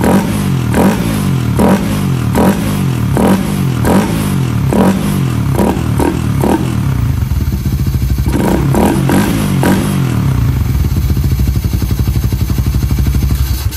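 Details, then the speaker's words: Raider 150 FI motorcycle, sound check after installing a ram air filter: repeated sharp throttle blips with a loud, hollow intake roar over a steady idle; engine crisp, just much louder breathing through the open filter. "Ang lakas talaga ng tunog mga boss kapag naka-ram air."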